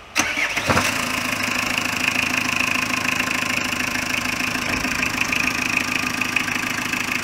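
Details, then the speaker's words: Renault Kangoo Express 1.9 dCi diesel after head gasket replacement (loose head studs found on "new-built" engine that lost coolant, overheated), new thermostat; start at handover: cranks, catches at once, even diesel clatter, steady idle, no misses; runs normally. "Çalışması gayet güzel."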